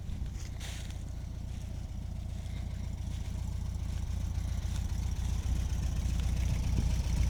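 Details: 1973 Cox 1300 at idle: steady, even beat of about 220 a minute under a low rumble; engine noise of unclear cause.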